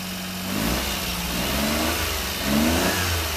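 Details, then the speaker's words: Three-cylinder mini truck warming up after new fuel, mechanical fuel pump feeding the filter: catches and revs up and down smoothly twice, even firing with no misses or stumbles; healthy on all three cylinders. "let it warm up here a minute running on all three cylinders that sounds pretty good"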